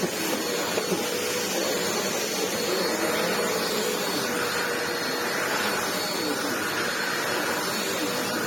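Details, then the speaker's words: Ewbank Motion EW3001 corded upright vacuum after service, bottom refitted, on a rug: even steady motor roar and smooth brush sweep, no rattles or labouring; running normally. "Just going to get the bottom back on, and now that the bottom has been serviced, it should pick up incredibly well."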